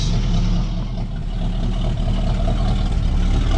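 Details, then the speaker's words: 1968 Mustang V8 idling smoothly and evenly for the first time in about 20 years, after a new fuel pump; light ticking noted, otherwise healthy running. "it's freaking idling wow man that's awesome I haven't heard my car running 20"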